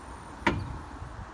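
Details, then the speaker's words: Rubble Master RM60 stone crusher, clutch engaged before engine start after clearing the machine: a single sharp bang then a short fading squeal as the clutch snaps in cleanly, no grinding; normal clutch engagement. "So we're going to engage the clutch this time. You can kind of hear a bang and a squeal."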